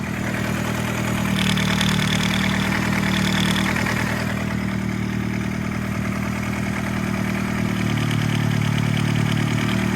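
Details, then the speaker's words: Nissan Sentra Spec V petrol engine at cold idle: light rattle from the cam phaser gear, idle RPM dips with each rattle; the phaser's locking pin fails to hold the advanced position. "See? Every time it rattles, the RPM drops. And the reason for that is the phaser gear has a locking pin in it that keeps it advanced, and it cannot go out of advanced."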